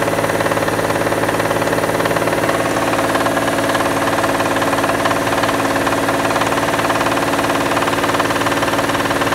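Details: Mitsubishi Diamante 6G73 GDI V6, warmed up, revved in place: sharp regular tapping about 220 per minute, clear above the hum; owner asks whether it needs a major overhaul, internal knock of unknown cause.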